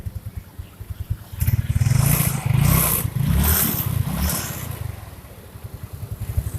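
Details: First-generation Yamaha Mio scooter after fixing the shaft rubbing in the CVT, cover refitted, new belt and pulley: revs up and down smoothly with no rubbing or scraping; runs normally.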